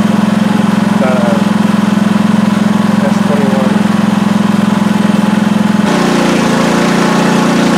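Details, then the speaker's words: PowerSmart 4400 W generator MB5040B in eco mode under load, about 3,000 W, microphone unplugged: steady, quiet mid-pitched drone with fast regular pulse, holding speed without hunting or knocks; normal running. "I unhooked my mic just so you can get a feel for the sound eco mode makes that's pretty quiet"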